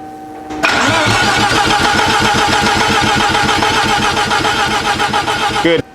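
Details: Engine cranked while checking ref and sync signals, which look clean, so wiring likely fine: steady fast starter cranking about 220 rpm, even chugging with no firing; cranks but won't start.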